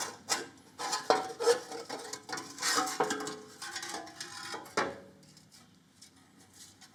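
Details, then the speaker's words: About 50-year-old 1970s Victa 10-42 / MTD 145-760A lawn tractor engine turned slowly by hand: irregular dry scraping each time rust on the flywheel rubs the ignition coil; sanding suggested as fix. "There we go, we can see there's a bit of rust here that's rubbing on the coil. You can clearly hear it there."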